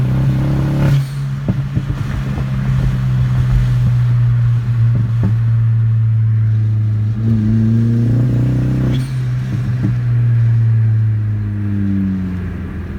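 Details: VW 1.8T on K03s running 20 psi with manual boost controller: droning pull with uneven stumbles as boost passes 10–12 psi, flashing check-engine light, multiple-misfire and injector codes; persists after new vacuum lines, injectors, fuel filter and pump, N249/N75 deleted.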